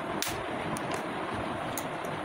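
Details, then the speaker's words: AC/DC charger fan that would not run on DC, switch bypassed by wiring battery line directly: blue light on, soft even airflow whoosh with few clicks; fan runs smoothly, fault is the switch. "দেখেন আমার নীলবাতি জ্বলতেছে এবং আমার ফ্যানটা কিন্তু চলতেছে।"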